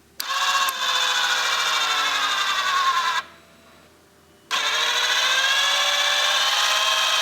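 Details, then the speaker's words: Alfa 145 headlamp levelling motor, heard while adjusting headlight height after circuit checks pointed to the switch: thin steady electric whine drifting slightly in pitch, stops a second, runs again; motor moves, fault unclear, driver's side suspected moving but passenger's not. "It appears to be the little motorised unit that adjusts the headlamp movement. I'm going to try and listen to see if I can make it do anything when I move the headlights."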